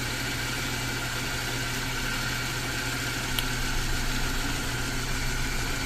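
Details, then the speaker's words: BMW M43TU four-cylinder, knocking at revs and on cold start despite replaced lifters, idling with cylinder 2 plug lead pulled: steady, slightly lumpy three-cylinder idle with no tapping; knock disappears, blamed on worn cylinder 2 rod bearings. "Работает на 3. Шумов нету. Но стоит только подкинуть второй цилиндр, начинается пиздец, начинаются шумы."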